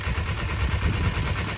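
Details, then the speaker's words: Restored Kawasaki Eliminator EL250, warm, 27 miles after being sorted: low, steady tick-over with an even beat and no misses or knocks; idling clean. "Have a listen to that engine. I think I've got the tick over right now. Now it's warm."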